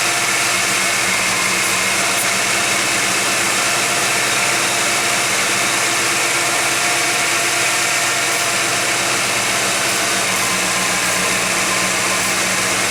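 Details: Warm 1991 GMC Jimmy at 55°F ambient idles high, steady and fast, with a hiss and no hunting. A flammable-spray test found no vacuum leak. Owner wonders if an air-fuel or other sensor is sending false information. Cause unknown.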